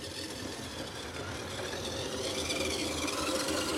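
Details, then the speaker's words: Classic 1980s Bachmann pancake-motor model train locomotive on track after gear repair, truck held with hot glue; quiet steady motor whir with faint even tick about four per second; normal running with light ticking. "like quiet the listening will go tick tick tick tick tick tick tick tick that's for sure sounds like a light"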